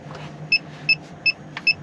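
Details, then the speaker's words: Campervan fresh water tank reads empty despite being full and tap flowing well; four short high double-tone warning beeps about 0.4 s apart over cabin hum; owner suspects a sensor problem. "okay. Back down to 25. It's going to go to 0, isn't it? So start beeping it. Yeah, 0. Wait for the beep."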